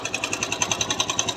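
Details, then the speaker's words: TVS Sport motorcycle single, kick-started, idling with a sharp metallic khat-khat knock about ten times a second; the knock goes away when revved. The bike also has low pickup and a non-working self-starter, and the engine was opened for repair. "किस तरीके से यानी कि खटखट खटखट जैसा sound आ रहा है और यह अगर हम आरपीएम खींचते हैं तो इसकी साउंड यानी कि चली जाती है इस तरीके से"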